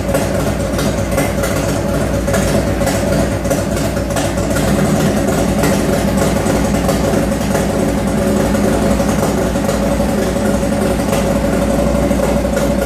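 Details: 1995 Harley-Davidson Heritage, first run after rebuild with Screaming Eagle heads, bored cylinders, Wiseco pistons, Woods WH6H cam, Daytona Twin Tech ignition, Mikuni 42 carb: steady, even V-twin idle with deep lumpy beat, no knocks; normal idle.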